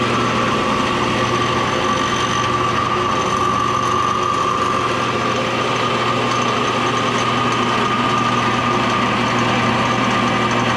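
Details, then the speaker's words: Old Craftsman table saw from a barn, running: steady hum and high whine with loose uneven rattle, belt vibrating heavily; owner suspects worn bearing, possibly in the motor, unconfirmed. "it sounds kind of wonky but is that how it should sound like it's rattling yeah and this belt was vibrating all over the place the bearing might be a little worn in there"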